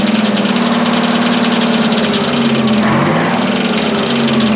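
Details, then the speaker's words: Twin-turbo Detroit Diesel 12V71 generator, first start after being abandoned in a field: steady run with fast, uneven metallic chatter as the fan blades hit the guard. Owner unsure whether a loose fan or generator loading is the cause. "that rattling noise yeah it's hitting the the fans hitting the guard either either it ain't caught yet or like maybe i don't know maybe the generator is like loading it that's possible too"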